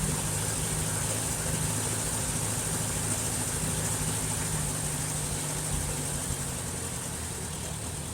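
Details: 1951 Farmall Super A tractor after engine rebuild, idling after carburetor adjustment, with a little water in the gas; even unhurried putter, constant beat, no stumbles or surging, sounds a lot better: normal idle.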